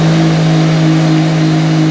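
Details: Ford Focus 2.0 SVT DOHC after a timing belt and idler pulley replacement, started with no check engine light: steady, clean engine note at an even pitch, climbing at the end, no ticking or slapping; normal running.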